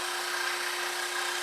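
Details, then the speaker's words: Scroll saw cutting wood against the grain: steady, even buzzing hum of the blade stroking, slight chatter heard but still cutting very smoothly. Normal cutting. "Like here I hear some chatter right now because I'm going against the grain in a different way. So now, but it's still cutting very smooth."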